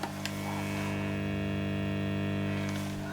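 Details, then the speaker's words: Orange Matamp ORST guitar amp with a loud steady low mains hum, no playing, made much worse after fitting a four-coil hum reducer during a hard-to-fix hum diagnosis. "the acme hum reducer mark ii we've got uh four coils there and i can already hear the homes a lot worse"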